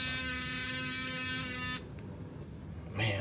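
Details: Sonicare DiamondClean repair, test after tightening the screw on the wobbling, loose drive shaft: a steady, high buzz runs smoothly for under two seconds, then cuts off cleanly. It is vibrating normally.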